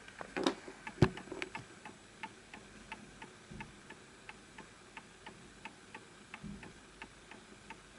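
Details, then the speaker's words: Antique Enfield Westminster chime mantel clock, fully wound; soft ticks about a hundred a minute with uneven spacing between tick and tock, pendulum misaligned and needing a nudge and level surface: clock out of beat. "I can tell that that's misaligned because it's still going. So it has to go in perfect rhythm."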